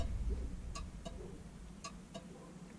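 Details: LS-swapped Nova after aftermarket Marshall gauge install, engine running, testing turn signals: faint paired clicks about a second apart over low engine rumble; flasher cycles evenly and works normally.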